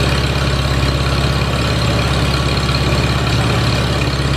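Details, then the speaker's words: Farmall Super A tractor, just running after ground and wire repairs restored spark: steady low chug at an even idle, no misses or knocks, running smoothly on all cylinders. "just tickled to death this thing's running you don't know how bad it was for me to shut that thing off"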